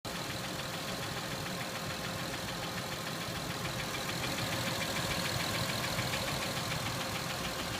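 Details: Acura MDX engine at smooth idle with crisp light tick repeating about three and a half times a second; engine ticking, cause unknown.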